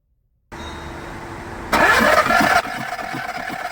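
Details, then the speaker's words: Skoda Fabia diesel with VW Polo three-cylinder engine that died while driving; cranking with injectors removed, timing checked OK, injector test shows no compression in cylinder 3. Starter spins fast and even with no compression strokes or firing; low compression, seized piston rings. "ये 2 number injector हमने आराम से दबा लिया 1 number पे और बिल्कुल भी कंप्रेसर नहीं है।"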